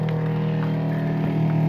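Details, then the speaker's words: Replacement Flojet 04325343 water pump on off-grid rainwater system, after priming and bleeding air; steady strong hum as pressure climbs from 30 toward 40 psi, running normally. "okay that sounds like a good sound now now it sounds like it's really kicking"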